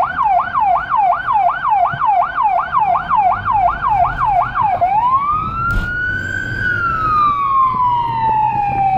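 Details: Emergency car in Budapest with a Federal Signal Rumbler (pulsing 180–360 Hz) beside the high-pitch siren, recorded from inside, where it sounds softer. A fast yelp switches to a rising-falling wail with a faint deep pulse under it: both working.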